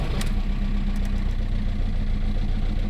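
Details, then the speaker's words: VW Golf 4 TDI 115 diesel: lumpy, uneven idle, stumbling beat, poor acceleration as if in limp mode; injector problem suspected. "donc ça va pas voyager il broute quoi et elle accélère pas bien c'est comme si elle se met en sécurité c'est comme si un problème d'injecteur"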